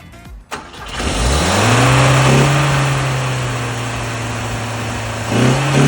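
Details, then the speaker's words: Carbureted gasoline Volvo, choke partly on, started on starting fluid, hard to start: catches and flares to a high steady idle that won't settle; owner suspects carburetor intake manifolds leaking vacuum, new ones ordered. "these are the carburetor intake manifolds and I'm suspecting they're causing a vacuum leak which causes my engine to run like that"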